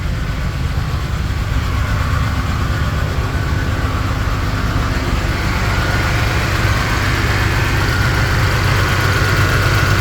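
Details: 2011 Cadillac SRX petrol V6 idling with an uneven, stumbling low chug: misfire on cylinder 3, left to stabilise on its own.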